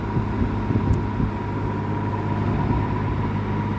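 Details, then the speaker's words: Likely 1950s W. W. Welch Air-Flight 20" box fan, model 20W-U, Universal motor, Torrington aluminium blades, 3-speed, freshly oiled, on high: quiet, even hum, steady tone, no ticking or rubbing; bearings good, runs smooth. "it seems to run better now it's really quiet I am actually astounded at how how quiet this thing"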